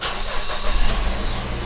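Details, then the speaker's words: High-mileage used car, first cold start during inspection: engine catches quickly and settles into a steady, even low rumble with no knocks or rattles; timing change sounds good, normal cold start. "you know listen for any weird noises okay i don't hear anything timing change sounds good"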